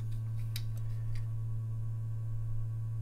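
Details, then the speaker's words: Vintage ultraviolet Mineralight lamp powered by a six-volt lantern battery, UV switched on: steady low hum at one pitch with a few faint ticks at the start; normal running hum. "is the ultraviolet you can probably hear humming like with my other model of mineral light"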